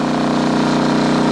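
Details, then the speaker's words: 2010 Champion 2000W generator after a carburetor jet cleaning, econo mode, choke in, powering a heater. A fast, even engine beat holds steady speed under electrical load without hunting or surging. Normal running under load. "So it went from basically really hard to start and would only run with the choke full out, and now she's purring along nice, choke in on econo mode."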